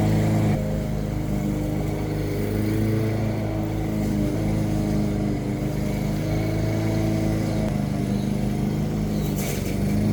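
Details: New push lawn mower with plastic carburetor and thermal automatic choke, after carburetor diagnosis and rebuild; spark plug gapped 0.030 in, oil level checked: steady, even single-cylinder drone with no misses or surging; running smoothly.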